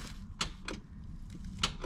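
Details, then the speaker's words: 1993–1998 Toyota Supra that won't start: key turned, a single sharp starter click and no crank; fixed by rebuilding the starter. "hear that it just clicks clicks once if you have a super that does that watch this video i'm going to show you how to fix that"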